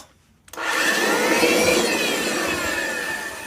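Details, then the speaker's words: Kirby 516 vacuum running: rough, gritty whine with wavering high tones from bad motor bearings, with a burning motor smell; it needs new bearings. "so I'm definitely going to need new bearings in fact this thing is identical to my to the Santa tronic 7 I used to have it it makes the same exact noise"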